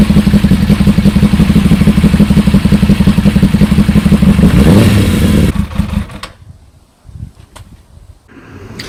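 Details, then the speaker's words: Suzuki GSX 600 project bike, first run after new switch fitted, exhaust manifold bolts loose: loud, lumpy, uneven exhaust beat with a clattery edge then cuts out; owner suspects a cylinder not firing, smoke likely from WD-40. "she van gock she sounds brutal she was smoking a bit but I think that's because of the wd-40 from the manifolds"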